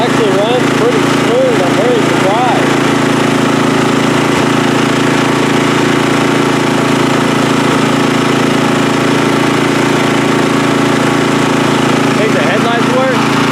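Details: Free riding mower on a first start test after its gas tank was drained and fuel was added by hand amid flooding: a steady, even single-cylinder drone with no misses or surges, running smoothly and sounding healthy.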